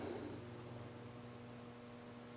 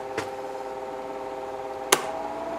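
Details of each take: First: Electric fan that had started running slow, then stopped: steady low electrical hum with no blade whoosh, motor powered but stalled, blades only trying to turn; cause not confirmed. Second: Office electric fan about 25–30 years old, after a capacitor replacement, on medium: steady, even motor hum with a faint airy whoosh and a couple of stray clicks; the fan runs smoothly.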